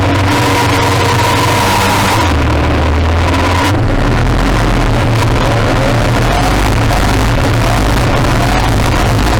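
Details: Modified pulling tractor engine with a reground camshaft, hard pull under load; the roar keeps dropping out and catching in jerky stutters as the engine control unit repeatedly shuts down, with fuel cut because the injectors are too small.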